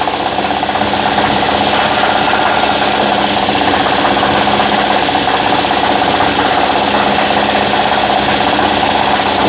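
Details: 2012 Nissan Murano at fast idle, extra microphone low near the wobbling AC compressor pulley: rough chattering rattle and whir from a worn compressor hub bearing; compressor also rough and leaking, and was replaced.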